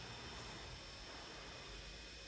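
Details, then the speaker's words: Creality Ender 3 mainboard fan swapped from stock to Noctua 40x10, now fed about 11.3–12 V through a buck converter instead of 20 V: only a faint, even whoosh with no buzz or rattle, normal quiet fan. "silent now because it's getting the right voltage and not 20 volts instead. Now it's at 12 volts."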